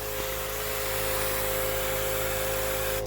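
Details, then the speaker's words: 12-volt pressure pump (low volume) on RZR 800 washer system, lines bled of air: steady electric hum running only while trigger squeezed, constant hiss of spray stopping cleanly on release; normal operation. "you know it's not a high water volume pump it's more of a pressure pump"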